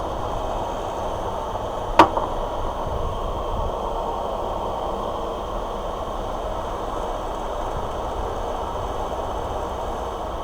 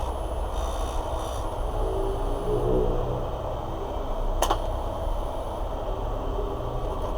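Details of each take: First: Parlux 2800 hair dryer after lubricating its dry, stiff motor: even steady airflow rush, no rattle or squeal apart from one early click; noise gone, motor runs smooth. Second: Parlux 2800 hair dryer: its small motor runs with a heavy, rough rumble, stiff and not spinning freely, likely from a dry bushing.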